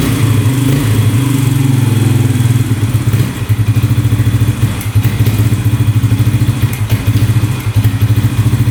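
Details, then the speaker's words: 2011 Yamaha Raptor 125 quad, now starting: loud single-cylinder chug that pulses unevenly and won't climb in pitch. It runs decently and revs out only with the choke on; with the choke off it stalls and won't rev, as the seller reported. "So, it's revving out with the choke on. Um, you start it up with the choke on. It runs pretty decent, actually. you turn the choke off, it stalls out and doesn't want to rev out."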